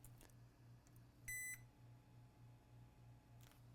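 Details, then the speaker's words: Gigabyte RTX 4080 Super after replacing the second DR MOSFET: a multimeter check of the power rail gives one short quarter-second beep, then silence, reading a 0.42 voltage drop. No short remains. "For a second, I thought we still have a short. Wow. 0.42 voltage drop. We're done."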